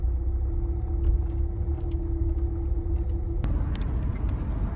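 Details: 2015 Renault Megane 3/Fluence 1.5 dCi diesel cruising off throttle, before repair: steady low hum droning over road rumble, caused by the stiff original fuel return hose carrying vibration into the body; the fix is a softer replacement hose.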